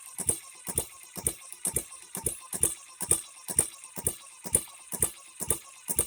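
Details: Newly built HM-01 hit-and-miss engine kit on its first real run, not yet broken in: sharp regular clacks about twice a second with metallic chatter on each beat, timing gears running far too noisy; cause unconfirmed.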